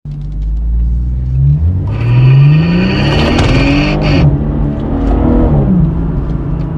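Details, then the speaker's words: BMW F30 340i under hard acceleration: engine climbs in pitch with rough grinding rasp from between front seats, absent when cruising; broken clip lets handbrake cable drop onto the driveshaft, fix by repairing the clip. "so you probably wonder what is that noise uh that noise comes right between the drivers and the passenger seats you know in front so it's right in between uh you only feel it when you are under a high acceleration if you are cruising you don't hear it"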